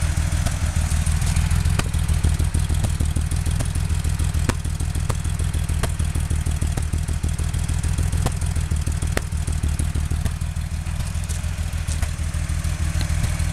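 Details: Porsche 911 at idle: low throb broken by irregular sharp pops and stumbles about every second; engine misfiring, cause unknown.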